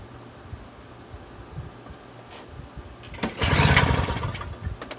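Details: Toro CCR2000 single-stage snowblower, possibly 1990s, 2-stroke 4.5hp Suzuki with Mikuni carb on 50:1 mix, primed and choked: quiet stretch then one hard rasping recoil pull that never catches; fuel bowl fouled, no start.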